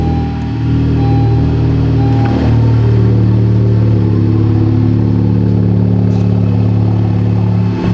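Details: Honda Civic Type R turbo petrol engine idling after new spark plugs, fixing a cylinder one misfire from a burnt plug tip: runs smoothly at a steady fast idle with no misfire stumble or knocking; compression is perfect.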